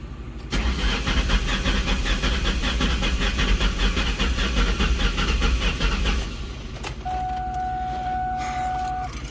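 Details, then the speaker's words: 2004 Mustang GT, sat about six weeks, crank no start after fuel pump, coils and plugs replaced: engine turns over evenly but slowly, about 2.5 beats a second for six seconds, never catches; suspected weak draining battery, not jumped timing. "batteries kind of draining down how does that crank sound to you guys sounds like maybe like a weak battery but not uneven"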